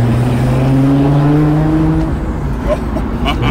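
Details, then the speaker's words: Nissan Skyline R32 GTR back running after being broken, driving: loud deep exhaust drone rising and easing with throttle, no rattles or leaks. Normal exhaust note. "it just doesn't get old when it works properly"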